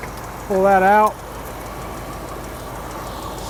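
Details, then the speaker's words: Classic car with mild cam, stone cold, after carburetor cleaning: steady, even low idle with no misses or stumbles, a smooth burble; healthy idle. "vacuum Port but she stone cold it seems to be idling pretty well"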